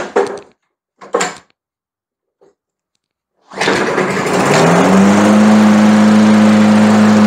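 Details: Lawn mower engine catches after a few clicks and settles into a steady, even, healthy run with no hunting or misfire; tested after correcting the linkage spring left improperly installed when the owner fitted a new carburetor, plug and air filter.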